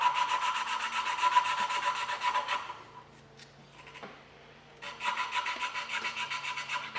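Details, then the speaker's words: Holden 186 valve job: lapping a valve into its seat, the back-and-forth rubbing has turned from rough grit to a thin squeak, so valve and seat are now lapped smooth. "if you can hear it it'll be like you can hear it's almost like squeaking now it's nice and smooth"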